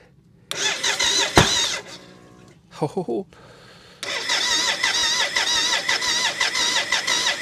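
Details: BMW K75 cafe racer custom with new wiring to the ignition unit and coils, fuel now at pressure: starter cranks in short bursts, catching briefly but never running; no-start, owner suspects the air intake with the plenum top still open, or low fuel.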